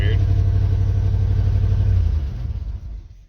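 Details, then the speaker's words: Vehicle restart after short drive, turbo 400 transmission whine noted, good oil pressure and water temp: engine catches, runs lumpy and uneven, then stumbles and dies within seconds; abnormal starting noise, cause unclear. "That sounded strange."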